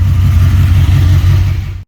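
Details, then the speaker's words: Jesse's Chevy C20 truck with built 408 small block (built for boost, turbo planned), idling after roadside tune from running badly: deep steady even rumble, no knocks or misses; running great now. "all right the thing's idling and running great now so that's good right there"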